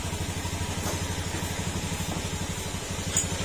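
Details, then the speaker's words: Honda Beat FI scooter after an engine overhaul with new oil, kick-started: steady, even putter at about four beats a second, no knocking or rattle. It no longer sounds like a big bike, so the idle is normal. "Yan, hindi na siya tunog big bike mga sir, tahimik na."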